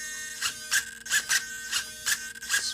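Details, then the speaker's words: Solar D770 low-profile digital metal-gear servo with big tires, steering swept fast. Quick, loud but smooth bursts of high motor whine, about eight sweeps in three seconds, snapping back to center quickly; normal operation. "very quick very smooth loud but smooth a lot of people have commented on how good these servos are at centering"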